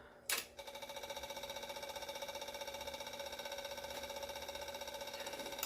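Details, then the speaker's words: Yamaha V-Star 650 Classic with new fuel lines and new fuel pump, priming to feed the carbs; fast steady ticking pump chatter that never stops, pump running continuously without reaching pressure, owner suspects air pocket in line. "good it's definitely taking fuel now but it's not saying it has enough going to keep going until that stops priming"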